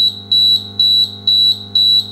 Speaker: the point is that you want the alarm to be loud because you could be out on deck on your boat whenever something goes wrong